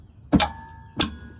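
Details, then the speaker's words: Bad Boy mower with 43 hours that had stopped mowing, PTO solenoid as the control is pulled: two sharp, solid clunks; the solenoid now engages and clicks normally though it had not clicked before, cause unknown. "now it does it. That doesn't make any sense. I don't know why it wouldn't work before."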